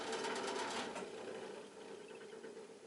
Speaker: They don't always have to be locked up when the bearings are dry. rattly old fan.